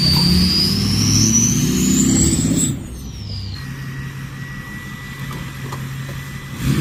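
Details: 6.0 Powerstroke truck fitted with a bigger turbo, recorded on a drive-by in strong wind: a clear high whistle climbs as the truck passes, then drops away with the engine note under gusty wind; healthy, normal turbo spool.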